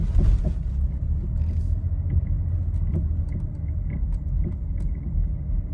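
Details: Nissan Rogue driven just after an engine replacement at another shop, with no mileage on the new engine: dull single knocks at uneven gaps over small bumps under the road rumble; a loose, worn sway bar link.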